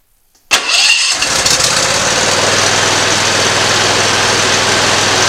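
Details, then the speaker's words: Simplicity ZT2500 mower, Briggs & Stratton Professional 724cc 24HP twin, before coil replacement: catches quickly then stumbles into uneven idle, one cylinder misfiring from a bad ignition coil. "in the sound of that you can tell how the ancient sound changes there but that was the issue we had a bad coil on it"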